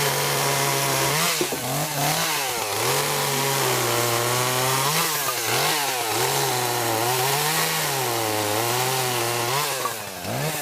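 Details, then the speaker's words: Chainsaw idling/running after sitting unused since about early December, high buzzing revs sagging and recovering every second or two, bogging and nearly dying; cause suspected, not confirmed. "I don't know if you can hear that running but it's a kind of bond out in dying a little bit I haven't used it since probably first of December now"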